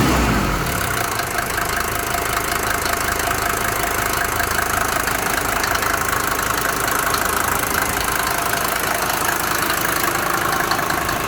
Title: Mercedes 190D 2.5 om602 knocking sound, bad lifters??